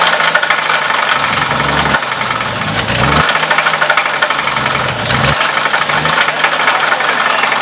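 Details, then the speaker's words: Engine running at low RPM with donated parts, timing set, vacuum lines loose: rough repeating knock following engine speed; rod knock on the same crank, bearings questioned. "You gotta push hard. That's the rod. What do you think? It's rod."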